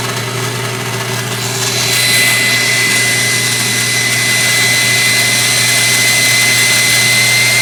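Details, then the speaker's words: KitchenAid Artisan stand mixer, 6–7 years old and barely used, rough-sounding since new, brushes replaced, speed control plate adjusted. Steady harsh grinding roar with a thin high whine; owner suspects armature, governor, bearing or speed control board. "it was the point where it wouldn't run at all but it's still making awful noises"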